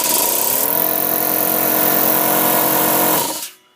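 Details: 50-litre air compressor on low mains voltage (about 210–215 V), with a new capacitor replacing the failed old one: a strong, steady motor drone at even pitch, then a clean cutoff; the motor starts straight away and runs normally.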